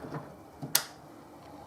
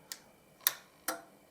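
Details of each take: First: Sansui HTS-105 digital surround amplifier with no sound, on a dim bulb tester: a few sharp single clicks seconds apart over faint hum; speaker protection relay pulling in and dropping out, suspected, not confirmed. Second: Sansui HTS-105 AV digital surround receiver with no-sound fault: three crisp clicks as the output protection relay switches in and out, suggesting no DC on the output; an exploded-looking diode also seen.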